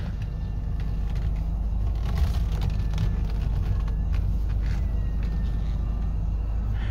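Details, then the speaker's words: 2005 Mini Cooper S (R53), parked and idling while the steering is turned lock to lock. The under-engine power steering pump gives a faint, distinctive whine rising and falling; this is normal, and anything louder would indicate a problem. "And you'll hear a whine. You can hear the whine. It's a very distinctive Mini whine."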